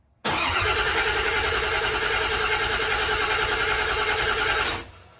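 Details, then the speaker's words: 1992 Porsche 928 GTS 5-speed, first start of a freshly rebuilt, heavily modified GT engine: the starter spins steadily at about three turns per second for four seconds but it never catches; crank no-start. "I would say give it some more cranking. Should I floor it?"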